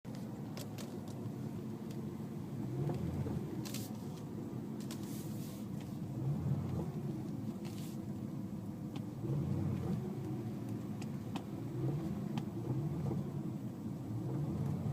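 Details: DCT car in 2nd gear with throttle applied and released quickly: low engine rumble swells and drops, with sharp knocks on several of the changes; owner suspects the clutch, unconfirmed.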